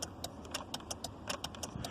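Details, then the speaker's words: Key turned with the transponder wrapped in tape away from the ignition: the transponder light comes on but the car won't crank, only rapid dry relay clicks about five a second, with the immobilizer blocking the start. "so the transponder light goes on no problems ok nothing happens it won't turn on at all you can hear it clicking on the relay"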